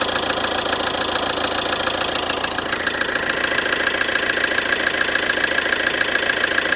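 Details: 2013 Ford Transit 2.2 diesel at idle; sharp, regular tapping at about two per second riding over the diesel clatter: engine knock, cause not clear.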